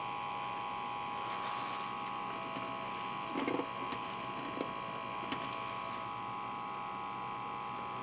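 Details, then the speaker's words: Old SHOUTcast server PC after storm power outage, before power supply swap: thin steady high whine over a low hum with faint ticks, plus drive noise; bad fan bearings whining. "but I think over the screaming of the uh bad bearings and the drives it shouldn't be a big deal"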